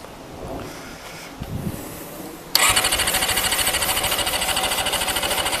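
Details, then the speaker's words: Honda CBR400RR NC23 inline-four with carb spray used: starter spins engine at about three even chuffs a second with no firing, no spark; temporary fuel pipe leaking; ignition-lock wiring under suspicion. "so right there's something very very weird going on here um there's no spark so i've got spark plug out and i've been um spinning that over and there's no spark"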